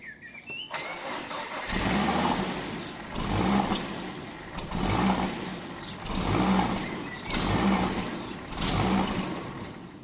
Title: Volvo S60 surging idle and misfire (loose throttle body)